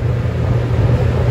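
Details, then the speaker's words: 30-year-old water-cooled walk-in cooler, previously seized evaporator fan: short burst of steady low hum with even whoosh, no rubbing or ticking; fan running, box temperature coming down. "so there we go fan is running that's good news"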